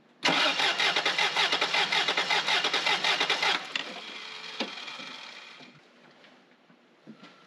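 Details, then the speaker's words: 1994 Toyota 4Runner 4WD 3VZE V6, compression test on a cylinder believed to be number three while cranking: even starter cranking with no firing; gauge shows zero compression, likewise cylinder five, others about 120; burnt valve suspected. Zero compression in one cylinder. "i didn't see any compression on that at all none at all"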